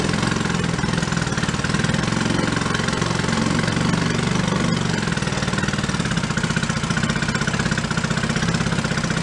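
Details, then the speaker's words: 1937 Sears Waterwitch 2.5hp two-stroke outboard, 83 years old, revived after decades in a shed, running in water, throttle opened more: steady fast putter, even firing, no misses, picking up with throttle; healthy. "we got water now i'm gonna go with one turnout sounds good let's give her a little more throttle"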